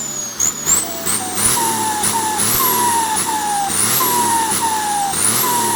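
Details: Normal turbocharger spool on a Komatsu tractor turbo (AR60, T04): a high, clear whistle climbs and falls with each throttle blip over a light engine note.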